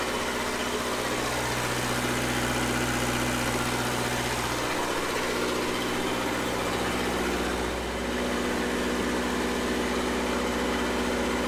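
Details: Red-D-Arc D300K 3+3 diesel welder generator, Kubota V1902 four-cylinder diesel, restored junkyard unit, during shutdown-safety testing: steady, even low thrum with no knock, miss or hunting; normal healthy running.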